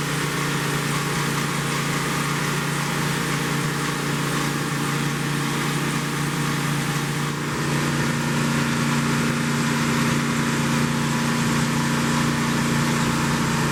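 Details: 1972 Plymouth Roadrunner 383 Magnum V8 with stock/RV-grind cam, break-in run after 15+ months unrun: steady fast idle near 3000 rpm, even drone, no knocks or misses; normal fast idle.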